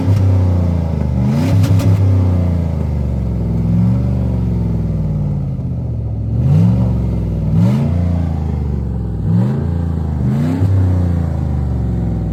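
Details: 1999 Lincoln Continental with stock exhaust after exhaust leaks were partly repaired: several quick throttle blips, revs climbing and dropping cleanly to idle with no obvious puffing or ticking.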